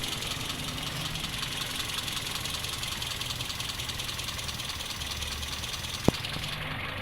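Petrol engine idling with a slightly uneven, lumpy beat under a steady hiss; a rough idle typical of a vacuum leak.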